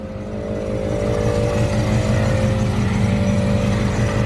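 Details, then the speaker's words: Chrysler 300C HEMI V8 (Canadian car, suspected coolant issue, no cabin heat) idling while warming: smooth deep burble, faint belt hum possibly audible, nothing major; sounds healthy. "still sounds pretty good. Possibly hear the belt a little bit, but nothing major."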